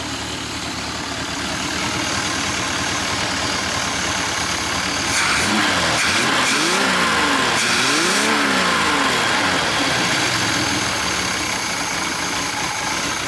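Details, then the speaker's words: 1986 Larson V175 Seneca ski boat engine with a cam, carburetor breathers not yet hooked up, slight blow-by; even steady idle with clean throttle blips, runs pretty; normal idle. "I'm ecstatic man this is good it runs pretty"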